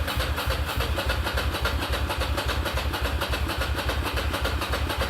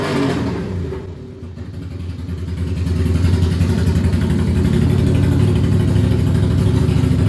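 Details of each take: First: Ducati Monster 695 café racer after rewiring and new ignition coils/HT leads, fuel tank previously drained: rapid even starter churn, three or four turns a second, never catching; cranks without starting, owner suspects low fuel, possibly low battery. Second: Ducati Monster 695 café racer after rewiring and new coils/HT leads, restarted for a headlight test: loud, lumpy V-twin beat settling into a steady, even idle about three to four pulses a second; healthy, runs fine.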